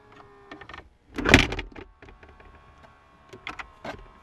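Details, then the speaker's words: 2010 Chevrolet Impala recirculation/blend door actuator behind glove box, code B0223, after replacement and codes cleared: short faint motor whir with light plastic clicks as the flap moves, then quiet; actuator recirculates normally when not on defrost. "now i'm watching the thing with my scan tool just because i can and um just so long as it's not on defrost it'll recirculate"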